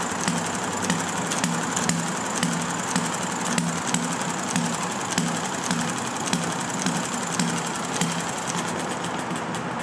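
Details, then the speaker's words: Enjomor model engine with original brown piston O-ring, running after flooded hard start on a humid day, about 1 1/4 turns, filled with water; crisp sharp beats about twice a second, fairly even; normal running. "Now, filled it with oil, or water rather. And it should run happily like that for a while."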